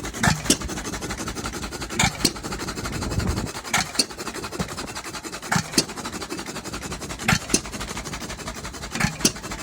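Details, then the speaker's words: Novo 3.5–4 hp hit-and-miss engine, formerly seized by water in the crankcase, cleaned and lightly honed, on first start: slow, uneven firing bangs over a coasting whoosh. Running rough, smoking heavily and spraying oil. "you holy that is a smoky son of a man but she sounds good but she's spraying oil every everywhere"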